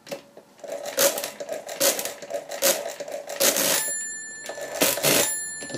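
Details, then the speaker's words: 1950s Thale mechanical adding machine doing division by repeated subtraction: run of ratcheting clicks as the handle is cranked, then a clear bell ring at overflow; normal operation. "I'm going to subtract until I hear the ring now you can hear I've heard the ring"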